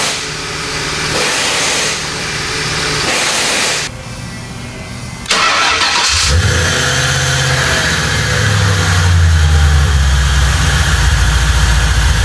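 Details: 1995 Lincoln Mark VIII with forged-internals 4.6 V8, after transmission pulled and refitted: a few seconds of cranking, then catches and settles into a smooth steady idle with no knocks, ticks or grinding; healthy.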